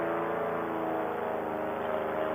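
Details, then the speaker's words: Air Conception Tornado 280 paramotor two-stroke, freshly rebuilt after recall damage (broken piston, scored cylinder, head), breaking in on test flight kept under 6,000 rpm, no full throttle; steady even drone, no misses or knocks: normal running. "we're going to fly it around for about 10 minutes or so but with the motor be in fresh and rebuilt it sounds great right now"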